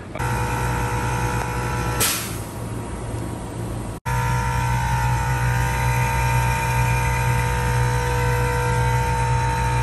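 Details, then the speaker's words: 2013 Tesla Model S air suspension compressor buzzing about 20–30 seconds to full pressure, then a whoosh of air, repeating every 3–5 minutes; a loose, leaking air-line T-connector bleeds pressure off, connector to be replaced. Air suspension compressor cycling from air leak. "so it sounds like it's charging up you know the typical compressor rattling pump noise and then about 20-30 seconds it it reached the full pressure and then it it dispersed this whoosh kind of noise like a burst of air coming out"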